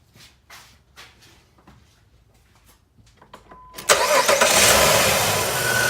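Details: 2005 Jeep Liberty (3.7 V6 or 4.7 V8) just after alternator replacement: clicks, then a clean start into a steady even idle with no belt squeal or rattle, quieter than before; battery reads over 14 volts. Normal idle.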